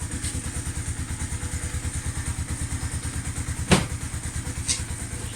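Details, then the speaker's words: Lexmoto motorcycle cold start with choke on: steady, even single-cylinder putter at about three beats a second, no knocks or misses; healthy cold idle on choke. "Yeah, just start it up for now. Choke on. Cold start."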